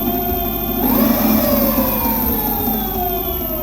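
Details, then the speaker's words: E-bike hub motor with a fresh new bearing: smooth motor whine sweeps up and settles, with a faint high-frequency squeal from the controller and low fridge hum. The fresh bearing is practically inaudible with no growl, so the motor runs normally. "The sounds in the second clip were simply a low hum from a fridge, a high frequency sound from the motor's controller, and the motor sound itself, whereas the bearing is practically imperceptible."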